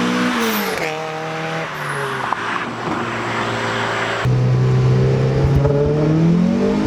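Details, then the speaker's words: Turboed Mazda Miata (CX Racing V2 kit, different turbo, FMU adding fuel under boost) on boost pulls in roughly 105°F heat index with a new budget 340LPH fuel pump: strong clean pulls, pitch climbing smoothly through each gear, no stumble or misfire; running healthily. "Okay, so let's take the car for a rip, which I can already tell you just from the drive home that the car is running a lot better."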